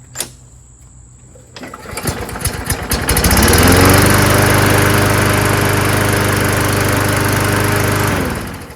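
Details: Rebuilt Craftsman mower, primed three or four times: a few pull-start clatters, then it catches and settles into a steady, even single-cylinder drone with no misses; healthy running.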